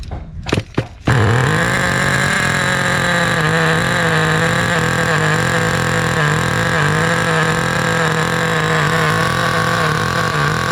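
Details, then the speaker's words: 2008 Duratrax RTX-27 1/8-scale nitro monster truck after leaning carb about half a turn from too rich: a couple short pops, then a steady even buzz at constant pitch; runs cleanly. "let's let's fire it up again overall we got a runner"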